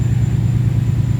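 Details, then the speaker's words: Ford Capri with Mercedes M113 5.0 V8 swap, first crank on newly converted MaxxECU with random throttle and fuelling: deep, uneven, lumpy stumbling rumble; owner says ignition timing is definitely not right. "Didn't sound perfect. Put a file up on the button. So something's definitely not right on timing wise here, because she's definitely happiest."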